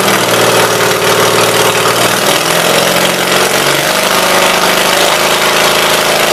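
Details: 1976 Gravely 816 single-cylinder engine, valves ruled out, battery connection found at fault, new spark plug fitted: loud, raw bark through open exhaust, steady firing settling into an even run; normal running.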